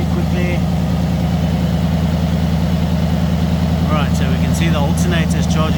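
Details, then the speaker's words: Ford Mustang GT V8 just after battery replacement, before the charging check: deep, steady idle burble with an even firing rhythm and no knocks or ticks. Healthy. "Okay, start the engine. Oh, just listen to that sound. Magnificent. Magnificent."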